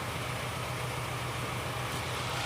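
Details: A Ford Fiesta 1.0 misfires after a collision to the underside of the engine. A steady idle has a rough, uneven low beat as one cylinder drops out, suspected as an ignition coil output fault.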